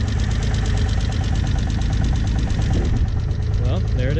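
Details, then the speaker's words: Mitsubishi 3000GT VR4, first start after sitting several years, old gas drained, fluids checked: fast light tapping over rough first idle, keeping engine pace; hydraulic lifters still pumping up after storage, common on 3000GTs; lifter tick. "you can definitely hear some lifter ticking super common with 3000 GTS especially this one since it's been sitting that's hydraulic lifters so it's gonna take a while for them to get pumped up"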